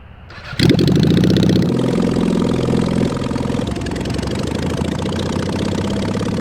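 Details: Mid-1970s Honda CB750 750cc swapped into a 1980s Suzuki Quad Sport 230, restarted for a second ride (reached about 45 mph in third or fourth): fires and revs with a loud, uneven, irregular idle. Rough running is suspected from carbs, missing exhaust, and worn points ignition.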